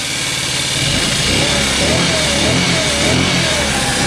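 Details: Scooter sitting for years, just started: small single idling unevenly with quick loose chattering tick; noisy valves, smoking and burning oil, owner suspects ruined valve seats and may replace them. Valve chatter at idle.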